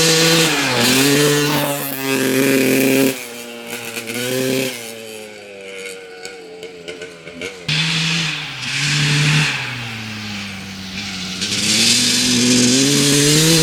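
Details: 1995 Honda CR250 two-stroke dirt bike with the old flywheel refitted: revs climb, then fall flat and stumble as the throttle opens before recovering. The bog returns, confirming the old flywheel as the cause.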